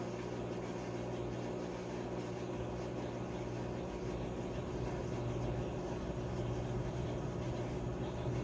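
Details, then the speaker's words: Whirlpool/Maytag commercial top-load washer MVWP576KJ/1 after agitator repair for grinding, not washing or spinning: smooth, steady motor hum and even low drone through spin, no grinding or scraping; healthy. "All right, guys, we're going to be putting this into drain and spin."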